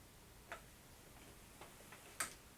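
Faint, uneven single ticks every second or so in a quiet room: a faucet that keeps dripping.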